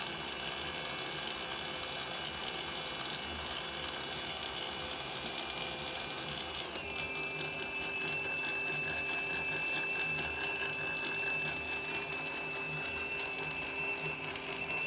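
Fast, uneven ratchety clicking with a thin high whine over a quiet background; something mechanical inside the drive unit is complaining.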